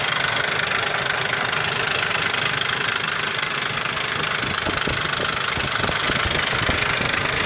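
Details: 2001 Ford Explorer Sport 4.0 SOHC V6 at idle: loud, fast, fairly even metallic rattle, about three a second, with low compression on all 3 right-hand cylinders. Owner suspects the rear RH timing chain or cam sprocket, unconfirmed.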